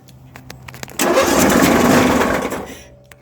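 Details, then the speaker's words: John Deere 1023 (owner guesses 2005) with a single-cylinder 500cc Briggs engine, on choke with a jump pack: it cranks, nearly catches with a harsh rumbling rattle, then dies; failed counterbalancer. "it almost wanted to kick over but it's making a weird noise"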